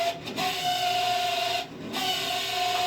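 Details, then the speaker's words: Camp Chef SE pellet smoker auger motor after being jammed by rain-soaked pellets: strained high whine around 700 Hz cutting out twice, with hiss and rattle; working but noisier than before. "Right now it's working, but it just doesn't sound great. Like it's not sounding like that before."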